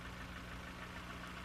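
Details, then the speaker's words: Nissan engine idling with a dull, regular knock during a cylinder-drop power-balance test with injectors disabled. A noise change when a cylinder is dropped suggests a bearing, piston pin or piston slap problem; number three may be the one. "if the noise changes when a cylinder is dropped it indicates a bearing piston pin or piston slap problem with that cylinder it sounds like number three might be giving us a problem here"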